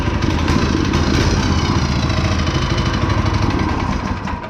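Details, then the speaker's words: Go-kart small petrol engine, just started with the choke on, newly fitted torque converter: uneven, faltering thump that sags and fades because the choke was turned off too soon; engine stumbling, choke then turned back on. "I turned the choke off too soon. Dang it. All right, I'll turn the choke back on."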